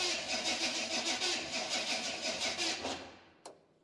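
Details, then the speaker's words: 1953 Chevy 3100 truck, 235 inline-six with 4-speed manual, long-sat farm truck: engine cranks with even rhythmic chugging about three beats a second, never catches, then stops with a clunk; not getting fuel, carburetor suspected, fuel pump being checked. "so I do believe it is the carburetor that's the issue"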